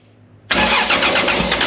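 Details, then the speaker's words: 2JZ-swapped Nissan (Datsun) Prairie, first start with fuel pump disconnected, starting fluid sprayed into each intake port: silence, then abrupt catch into loud, crackly, uneven run; engine starting on starting fluid. "got injection in a can a little bit in each por oh yeah good luck getting to this the back one oh yeah this fires right up"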